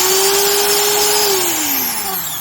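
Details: Classic Stanley industrial laminate trim router after new bearings and brushes: steady high whine drops smoothly as it coasts down, with no squirrel chirp from skidding bearing balls at the end; normal spin-down.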